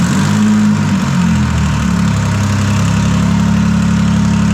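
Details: Detroit Diesel 3-53 two-stroke diesel running after first start in 25 years, camshaft reversed to correct backwards installation from 2000 rebuild; steady even drone with firm low beat, no knocks or misses: normal running.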